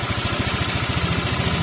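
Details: Honda Vario 125 Techno water-cooled scooter with a red warning light: fast single-cylinder thumping at idle with a slightly rough, uneven edge; the head is suspected.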